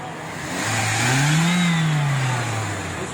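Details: 1998 Toyota Corolla that had a petrol misfire and high fuel consumption, after intake manifold work and adjustment: smooth, even note rises cleanly through a quick rev and settles back with no misfire stumble; engine running healthy.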